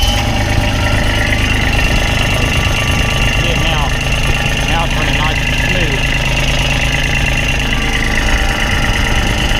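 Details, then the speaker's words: After retightening, checked for vibration: deep, heavy drumming idle with a rough shaking throb; still vibrating badly at idle, cause unclear. "shaking real bad"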